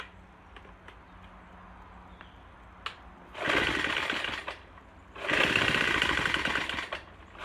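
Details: Troy-Bilt TB4HB EC leaf blower, unstarted 4–5 years, new fuel lines, full choke, primed, first pull: bursts into a harsh, ragged rasp twice, falling away each time, running very rough. Breather loaded with oil via crankcase overflow tube; owner suspects compression leaking.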